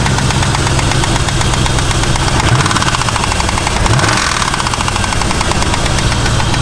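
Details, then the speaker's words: Truck that runs perfectly with no miss and perfect oil pressure, heard at idle; quick, even ticking from the top end on one side; owner first suspected a lifter, engine uses anti-lash followers, pointing to a noisy hydraulic lash adjuster. "that's a hell of a knock on truck runs perfectly doesn't have a miss oil pressure perfect sounds like it's coming from this side and as a lifter but I wasn't positive"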